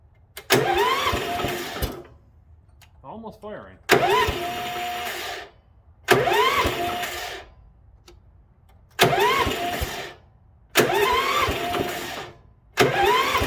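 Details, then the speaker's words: International Harvester 4130 skid steer on blocks, choke on, a little throttle: repeated two-second cranking bursts cut off abruptly; almost firing but starter kicks out as if it had started; crank no start. "it's almost firing it's just barely not firing because the starter's kicking out thinking that it has already fired and it hasn't"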